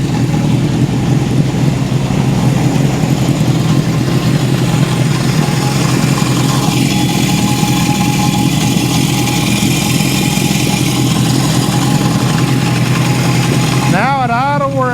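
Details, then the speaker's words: 1972 Honda CB750 Four warming up at idle, 62 PSI compression on both pipes: a fast, loose rattle over the engine note, seemingly from the rear. An improperly set cam chain tensioner is suspected. "Sounds to me like I'm hearing some chain. Wonder if the cam chain tensioner is not set properly. Sounds like it's coming more from back here."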